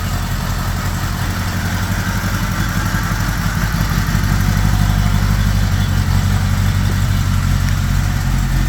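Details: 1975 Honda GL1000 Gold Wing flat-four, after resealing the water pump with new gaskets and O-rings: first start after reinstall, cold with choke on, idling a bit high but steady and even with no ticking, knocking or hunting; no leaks, much less smoke. Normal idle.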